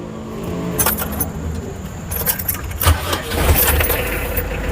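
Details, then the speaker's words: Mitsubishi L300 campervan engine start after a DIY leisure battery was wired in to charge while driving: short crank with some rattle, then an even run with no more squealing; a healthy start. "that sounds good no more squiring"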